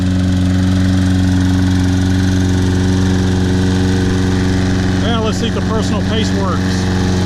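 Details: Toro Personal Pace Recycler with a Briggs & Stratton 190cc engine, after carburetor cleaning, tank flush and a new air filter, started on the first pull: smooth, even drone with no misses or surging, now running great.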